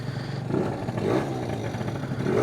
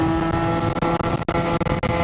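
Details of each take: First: Warm Stage6 70cc Yamaha BWS two-stroke scooter on premix after a final tune-up: it picks up and drops back crisply through several blips, smooth and even, normal revving. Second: Yamaha BWS 70 (Stage6) scooter, still cold, slightly gurgly and maybe rich, at about quarter throttle on a test ride: a high, buzzy two-stroke note held at screaming revs; it over-revs, and the rollers are adjusted afterward.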